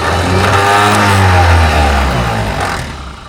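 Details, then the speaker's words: Fiat-Allis 645B loader, starter jumped directly: loud, even whir of the starter motor spinning freely then winding down without turning the engine; Bendix not engaging while spinning, suspected dirty solenoid contacts. Starter spins without engaging. "Yeah. So, the starter motor does spin over. We just need it to engage the Bendix and spin over at the same time, which like I said, could be dirty contacts in that solenoid."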